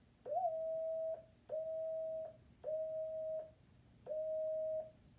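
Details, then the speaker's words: DX-100B transmitter tuned on 40 meters in CW mode with the driver set to 5 mA, heard through a receiver: four keyed tone bursts near 650 Hz, each opening with an upward pitch slide. This chirp comes from a voltage-sensitive VFO; a house air conditioner switching on shifted the tone. "So you can see how sensitive the VFO is to voltage changes. and that's what causes these chirps."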